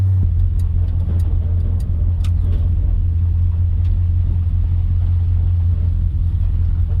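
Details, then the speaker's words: 1956 Dodge driven at road speed: constant deep droning rumble with no clear rhythm fills the interior; excessive cabin noise, source unknown, before adding sound deadening. "You can hear it. I don't know how well it shows up on camera. I hope you can hear it actually, because I can hear it quite a lot."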